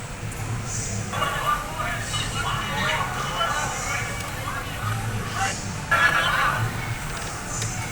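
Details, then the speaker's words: MacBook Pro A1502 speaker playing audio harsh and buzzy with crackle on loud parts; original speaker's cone edge cracked and degraded. "เครื่องนี้มาในอาการลำโพงแตกนะครับเดี๋ยวเรามาลองฟังดูนะครับผมว่าเป็นยังไง"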